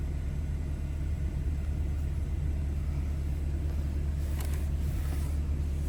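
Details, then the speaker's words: 2014 BMW 320i, warm engine at about 80-90 degrees: low, smooth, steady idle with no misses or knocks, held slightly raised during the onboard engine oil level measurement; healthy engine. "So now I can start measuring, and now it's gonna start measuring, so that may take a little while. And also you will hear the engine rev up a little bit while it's doing it."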